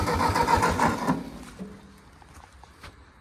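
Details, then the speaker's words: Ford Jubilee half-track tractor that sat five years, cranked on a borrowed battery with ether: even starter chugging about 3.5 per second, never fires; weak spark seen, owner suspects spark issue or carburetor. "Well, it's not getting something. Want me to hit the key? I don't know if I actually have enough ether left."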